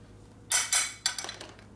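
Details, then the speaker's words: Harley panhead wheel turned by hand, drum assembly: a few sharp metallic clanks and rattles; rear sprocket loose on the brake drum. "The sprocket's loose on the drum, you can hear it rattling on it."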